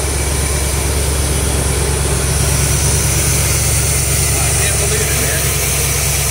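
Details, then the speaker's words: 1973 Corvette Stingray V8 just revived after 25 years in a garage; steady, deep idle with a slightly uneven low beat, runs on its own but needs a screwdriver to set the idle up a little; unadjusted idle after long storage. "need a screwdriver to set the idle up just a little bit"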